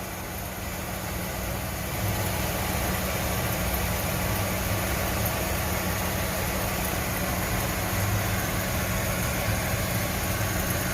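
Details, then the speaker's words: VW Routan with one side lifted, engine idling: steady low growl and rough hum from the front wheel hub bearing; the customer thought it was worn brakes, and the wheel shows no play. "este lado es el que empieza a hacer el ruido que es como ruido de bala está de freno estoy mirando que el problema más que nada es el balero"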